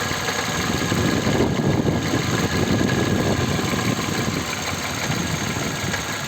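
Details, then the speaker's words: Kia Ceed raised, wheels spinning in gear, vibration growing from 2nd to 4th: loose uneven rattling clatter about three or four per second over idling engine; owner suspects something loose in the gearbox, not confirmed. "как прислоню как бы точно будьте что-то болтается коробки"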